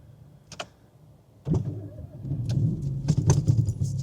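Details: 2020 Vauxhall Corsa started after a repair of two open-circuit rear ABS sensors, which had caused ABS, handbrake and ADAS faults. Keys rattle, then a short crank and the engine catches at once into a steady low idle; a normal start.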